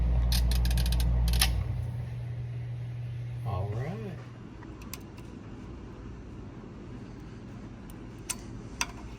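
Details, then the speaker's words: Whirlpool upright freezer rewired with a timer, thermostat and defrost terminator replacing the unavailable board; turning the timer to the hard click makes the loud steady hum cut out abruptly, then light clicks as it switches into defrost and the heater comes on. "all right let's turn it into defrost turn that timer until you hear the hard click and everything will shut"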